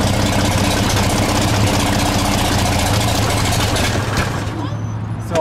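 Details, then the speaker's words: 1934 Chevrolet 1.5-ton truck on a 6-volt battery, after carb cleaning, sanding the points and fresh gas; cold start with choke: strong, even engine beat settling smoothly with no knocks or misses; normal cold start and idle. "we'll pull some choke on so it's cold right that's so exciting yeah she does sound pretty good"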